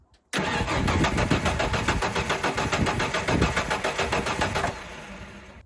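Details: Ford F-150 V8 suspected of low compression, after vacuum line repair: starter cranks evenly about three or four beats a second for four seconds but never fires; missing EFI fuse cutting fuel.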